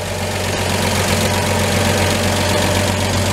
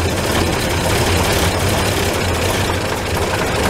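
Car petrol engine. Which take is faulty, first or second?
second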